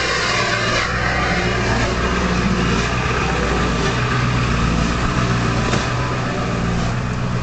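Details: Early 1999 Ford F-250 cold start at 34 °F, high idle with exhaust back pressure valve closed: loud steady whistling hiss over fast, even cold idle; normal EBPV warm-up whistle.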